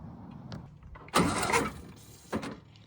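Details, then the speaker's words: 1968 VW Baja Bug, barn-stored for decades, carb cleaned and float bowl refilled: short harsh starter bursts, engine barely turning and not firing, with a running-water sound; owner believes it's seized. "That's the noise I've been talking about since we got it started. It's seized. What in the world's going on here? That's not good."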